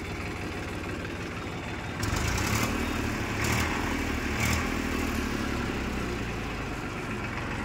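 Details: Massey Ferguson 241 DI tractor, 42 hp, 2006 model, battery weak, offered for sale. A steady diesel chug at idle with even low knocking and a few brief louder bursts from handling; the engine sounds healthy.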